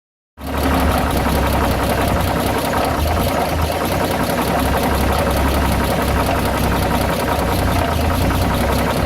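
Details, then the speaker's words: Dodge WC52 engine running: loud steady run with rapid clacking and rubbing noise about four per second; the noise is also heard on deceleration, cause not identified. "on l'entend comme un bruit de claquement, de frottement. Quand on prête bien l'oreille."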